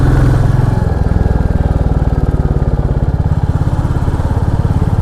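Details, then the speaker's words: Royal Enfield Classic 350 single-cylinder after tappet adjustment following tick-tick complaint, riding uphill from Dehradun toward Mussoorie: steady even thump about three and a half beats per second, no top-end ticking in first, second or fourth gear; runs smooth and healthy. "अभी मेरा mood थोड़ी fresh हो चुका है, क्योंकि bike अभी अच्छी चल रही, स्मूथ चल रही, बढ़िया चल रही एकदम।"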